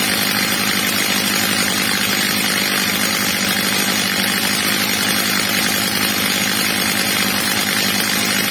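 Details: Old, well-worn Stihl MS230 chainsaw after replacement carburetor and clutch springs, carburetor screw leaned slightly, max revs set a bit under about 14,000 rpm: steady high buzzing scream at full throttle, no sag or bogging; runs clean and strong.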